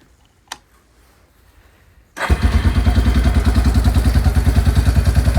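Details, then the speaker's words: Yamaha Kodiak 400 4x4 ATV (1990s, owner guesses 1995), original carb, revived after sitting for years with carb clean, new fuel lines and inline filter: starts and settles into an even steady single-cylinder thump about three beats a second; normal idle. "Replaced all the fuel lines and put an inline filter in. And it seems to be running great."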